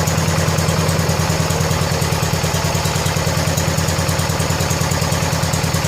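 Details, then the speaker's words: 1970 John Deere 140 H3 garden tractor single-cylinder, just after replacing a severely leaking blown head gasket: even, quick putter at steady idle, no misses, knocks or hiss; fired right up, runs good and quiet, burning off some oil. "That thing runs just as good and quiet as the other one does."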